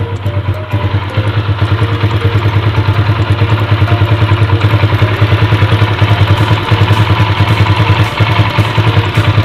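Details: Motorcycle with PE28 carburetor, just after replacing the red Samco intake manifold rubber between carburetor and manifold: steady, even single-cylinder putter at idle, about two hundred beats a minute, no misses or knocks; healthy idle.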